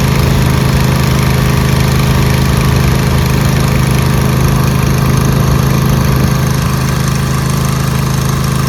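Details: Newly rebuilt Craftsman DLT2000 mower after carb bowl gas leak caused fire, old carb solenoid refitted: steady even low chug at constant speed, no misses, surging or rattles, no fuel leak; normal running.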